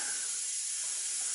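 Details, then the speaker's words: Old tractor's air system after replacing leaking quick-disconnect hose sections and recharging; steady sharp hiss persists with no engine running, repair failed: air leak at quick-disconnect fitting. "I'll fire it up put air into system and see for good well that didn't work I hate those stupid things"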